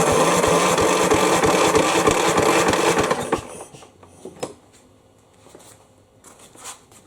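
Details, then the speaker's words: Craftsman mower, model 917.374552, with 60 psi compression, tried outdoors with the air cleaner removed: even cranking pulses, about three per second for three seconds, then stops without any firing; cranks but won't start. "let's just see if it starts without that air filter in it all right clearly that was a no-go"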